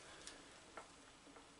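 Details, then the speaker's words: Atlas 7B shaper after cross-feed refurbishment, ram cranked by hand: light crisp ratchet ticks about every half second on the cut stroke, with the feed advancing on the backstroke; normal feed ratchet clicking. "you can hear the ratchet clicking and then I'm right at the front of stroke there that's the maximum and then as we move backwards on the backstroke we advance the feed and then forward again"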